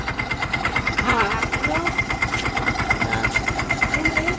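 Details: Mio i 125 idling with sharp, fairly regular ticking about three per second riding over the engine: abnormal noise from inside the motor, with a costly repair suspected.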